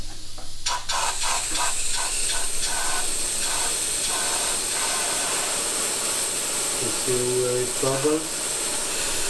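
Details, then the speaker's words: Saab 9-5 Aero converted to rear-wheel drive, turbo system pressure-tested with a compressor and gauge: sharp rushing hiss spurting on each pressure feed, then steadying, air blowing straight out the underside of a charge-pipe joint. Major boost leak. "So, there is a major leak somewhere. I'm sorry about the filming, but it's not easy. Yeah. On the under side right here, it's blowing straight out. This is not like a small leak."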